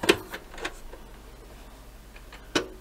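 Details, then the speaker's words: JVC DR-E300L midi system turntable at 45 rpm, after repair, pressing stop: sharp mechanical clicks and a short clatter as the arm lifts and swings back, then a final click as it stops; normal auto-return. "that takes that back again and stops it so that turntable on 45s is working okay"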